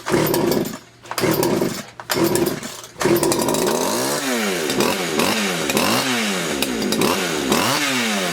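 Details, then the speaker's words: Poulan Wood Shark chainsaw in no-start diagnosis: sputters, cuts out, then revs unevenly and won't run cleanly; seems flooded, cause suspected, not confirmed. "she's a little floody for some reason"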